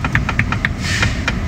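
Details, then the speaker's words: Tesla interior rear-view mirror base held by one screw: swivelling the mirror at a large angle gives light rapid plastic taps, about eight a second, then a scrape, where the mount is worn almost polished. Loose base knocking; fixed with foam strips. "因为它固定的这个点只有1个螺丝啊，不是特别的牢固，像我们大角度转的时候，它就会碰撞发出来异响。"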